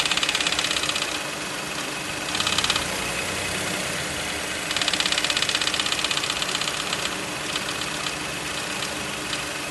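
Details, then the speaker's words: VW Polo 1.0 MPI at idle after one year of use: bursts of sharp ticking knocks about four a second, coming and going, resembling an engine knock; dealer traced it to the transmission, the fifth-gear fork. "Era um barulho que quando ele estava em marcha lenta você escutava como se fosse uma batida mesmo, parecia até motor na época."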